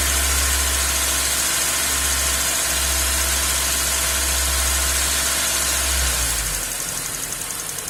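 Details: 2001 Hyundai Accent 1.3 L G4EA four-cylinder idling with a lumpy, uneven beat and periodic dips, then revs fall away; rough idle with no problems at cruising, being diagnosed by vacuum testing at the purge valve hose; cause unknown.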